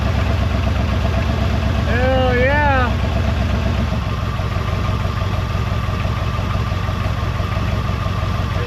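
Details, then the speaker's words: 1973 Mercury Montego GT with 400 cu in Ford engine and C6 transmission, first start after sitting about ten years: deep steady V8 rumble with a glasspack exhaust note, no knocks or misses, oil pressure mid-gauge. Normal idle; drive belt loose. "out sitting there idling we just bought us a good one folks looks like it's carrying oil pressure oil pressure is looking good right about in the center this thing sounds good a little bit of glass pack action down there"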